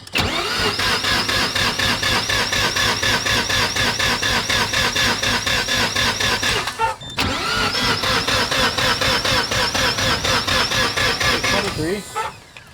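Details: 1993 Mazda RX-7 with rebuilt 13B-REW rotary, T78 turbo, Power FC, custom fuel system, first start after years: steady fast cranking about two beats a second, twice, no firing; spark unverified.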